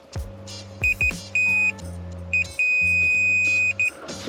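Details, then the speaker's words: Mercedes SL rear window heater not working, multimeter continuity test on the heater element wiring at the negative side; short beeps then a long steady beep; circuit conducts. "sounding pretty good to me all right"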